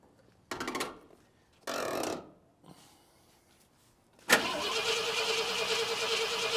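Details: 1972 Ford F250 camper special, 66k miles, parked since 2007, with rebuilt carburetor and new fuel pump; owners suspect the tank selector switch or too little fuel in the tank: two short cranking bursts, then a steady rough noise; cranks but won't start.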